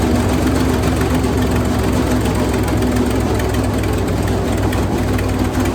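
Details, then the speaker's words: Wood chipper engine running after new spark plugs: loud, steady small-engine run with an even low thrum and no misses or knocks, running properly. "[Music] it's a very loud machine"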